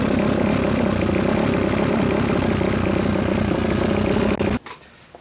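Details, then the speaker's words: Suzuki RMZ250 dirt bike after fluid change and service, air filter not yet oiled: rough uneven idle with a ragged busy beat about four per second, then cuts out; still running poorly, cause suspected not confirmed. "I thought I had it running pretty good in the video and then once I actually got to take it for a ride I worked out it was still running pretty much like crap"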